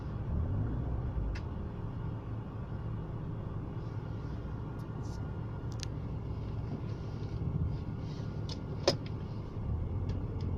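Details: BMW E36 with M43B18 engine: low idle rumble with an uneven, wavering beat and no knock. The rough idle is intermittent, sometimes fine for a month, sometimes changing with gear shifts; cause unknown.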